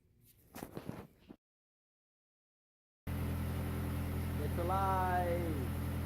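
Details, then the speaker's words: 2008 MazdaSpeed3 GT, first start after installing a replacement turbocharger, with the turbo primed with oil: fires right up and settles into a steady, even low idle with no knocks, one brief chirp; still smokes slightly, owner thinks condensation. "and so far seems okay it started no idling problems"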